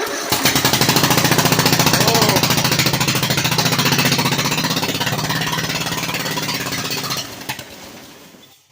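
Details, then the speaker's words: Ford 70 engine, first start after a new head gasket and head repair, choke on: catches and runs unevenly with a rapid, rough beat for about seven seconds, then dies: engine starts and runs briefly. "it wow it started oh it Rams let's try this again okay maybe no [Music] choke"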